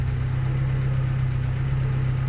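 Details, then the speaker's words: Fiat Tempra idling after worn, too-thin alternator pulley replaced by refitting the old original alternator: smooth, even idle hum with no belt squeal or chirp; belt noise fixed, silent. "O meu antigo desse alternador aqui ó e funcionou perfeitamente aí ó tem barulho nenhum silencios silencioso galera só alegria"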